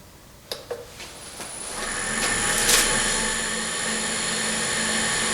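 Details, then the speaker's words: Walker Turner 900-series drill press converted to a milling machine, on a new stand, rewired for 240 V through a VFD and run mid RPM band to warm up. Handling clicks, then a clean motor whine settling steady. Normal spindle run-up, smooth. "It feels really nice. It feels really good and smooth."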